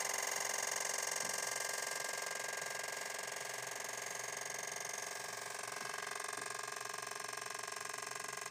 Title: PS4 LOUD CLICKING NOISE WTF!!!